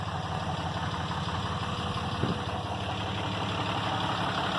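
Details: 2012 RAM diesel, VGT turbo (HE351) rebuilt, at about 2000 rpm with the exhaust brake on: steady low drone with a firm even exhaust rush; the exhaust brake works properly.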